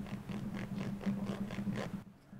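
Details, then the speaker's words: Makita HR2400 SDS rotary hammer, old worn internals: bearing hand-turned gives a rough, clicking ratchet; it should be a light press fit but has play and is damaged, with broken centering bushing nearby. "ce roulement il devrait pas se monter comme ça ils devraient se monter en force légèrement or là et bien il a du jeu"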